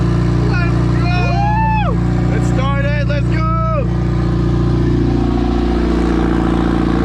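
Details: Porsche 944 turbo project, first start after almost two years, weak battery and a fuel leak: steady even engine drone with a firm low pulse, no knocks or misses; engine running cleanly.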